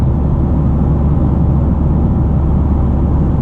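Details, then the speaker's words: 2023 Toyota GR Corolla with aftermarket FI Exhaust catback, valves open, sixth gear, about 3,000 rpm highway cruise: deep, even exhaust rumble with no drone; normal highway cruise. "not too bad honestly no drone really no drone at"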